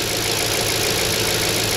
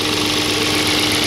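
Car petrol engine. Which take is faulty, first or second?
second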